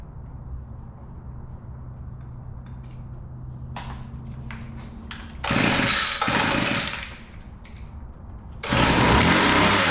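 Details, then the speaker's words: Weedeater two-stroke hedge trimmer, carburetor rebuilt with the original metering lever refitted, gives a weak unsettled drone then two revving bursts and won't hold idle; owner suspects it is idling too rich and leans it out. "still doesn't seem to want to idle maybe idling too rich I'm going to lean it out a little bit let's see if we can get a to start"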